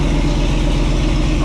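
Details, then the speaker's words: Rat Fest wagon build after fitting OEM Chevy Silverado fuel pump into modified stock metal tank, first start on charged battery, no fuel leaks: steady, even low rumble with smooth idle rhythm, no knocks or misses; normal idle. "Oh yeah. Oh man, no leaks. Oh yeah, nice and dry. Woo!"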